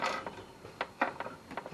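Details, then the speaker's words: Old vertical-shaft Briggs & Stratton generator found at the tip, spark good: a few dry ratchety clicks and scrapes, engine not catching; recoil pull-starter jamming, thought to need lubricant. "đó là một điều đáng tiếc có vẻ như phần khởi động đã bị kẹt, thôi nào chúng ta đi thôi, chúng ta chỉ cần một chút dính, một chút chất bôi trơn trong đó được rồi"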